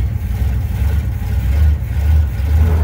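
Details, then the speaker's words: 1972 Chevrolet Monte Carlo, original factory 402 big block (U code) and original transmission; deep V8 rumble labouring slightly as gear takes hold, car spinning tires, no clunks or slipping: transmission engaging normally under load. "it's spinning the tires okay that's good so tranny's good for sure"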